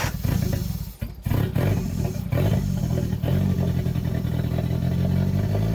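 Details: CA18DET-swapped JDM Mazda Miata: engine dips and nearly stalls twice, then holds a lumpy, uneven idle; rough idle.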